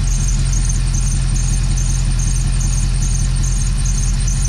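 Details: Dodge Dakota R/T 5.9L Magnum V8 after new plugs and exhaust sealing: a thin, high serpentine belt squeal over a heavy, slightly uneven idle. Injector unplug tests point to a miss, suspected at cylinder 5.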